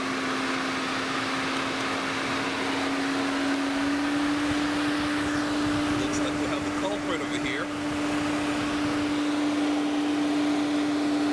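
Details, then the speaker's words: Infiniti M56 VK56VD V8, engine off with everything switched off: steady, even fan whir with a constant hum as one cooling fan keeps running; failed right-side cooling fan control module. "can you hear that one of my fans is running"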